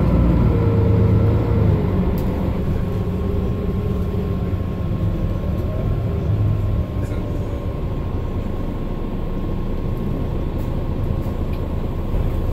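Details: Mercedes-Benz Citaro O530 LE bus (OM457hLA 12 L 299 hp Euro 5, ZF Ecolife 6AP1700B with overdrive, 12,450 kg) while driving: a thin whine over steady engine rumble that shifts with road speed. This is the only Citaro in the fleet with a noisy Ecolife automatic gearbox, whining.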